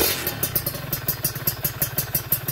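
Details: Kawasaki Ninja 2T two-stroke, finished special OB block with re-squished head and power valve (superkip) active: sharp crisp blips with clean pickup and no rattles, louder than before because the X-hole was made differently; normal revving.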